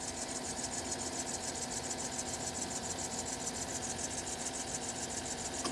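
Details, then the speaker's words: 2012 GMC Sierra at idle: quick, even high chirp, about three or four a second, from the accessory belt drive; barely changes as the A/C compressor clutch cycles. Owner suspects a worn tensioner bearing, then idler pulley; unconfirmed. "So you can see maybe the air conditioning compressor clutch opens and closes, and the noise does not continue once it's disengaged. It does change slightly, but it does not stop altogether."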